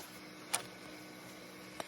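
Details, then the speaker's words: Electric eRocker power steering bladder fail-safe: a pressure switch drives an air solenoid with a 0.050 nitrous orifice, opening at 12 psi and closing at 8.5 psi: a quiet hiss and two sharp clicks as the relief valve snaps open to vent normally. "It pops off, opens at 12, closes at 8.5, and so you end up with 8.5 psi in here. And so it just cycles between 8.5 and 12 psi, and that seems to work pretty well."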